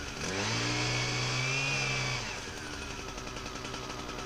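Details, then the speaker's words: Husqvarna 122HD60 hedge trimmer test run after cleaning debris: small two-stroke buzzes, then pitch sags and wavers unevenly. It runs rough and needs a tune-up; possibly old fuel. "motor is not running that good needs a two and up yet"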